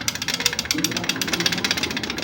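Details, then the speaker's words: Honda Beat scooter, 8 years old: fast tinny metallic rattle, about eight clacks a second, from a loose, rusted center stand whose pivot shaft has worn loose; replacing the shaft advised. "kalau lagi jalan berisik itu dari sininya ini [Musik] karena ininya sudah longgar ya kalau bisa diganti aja AS nya"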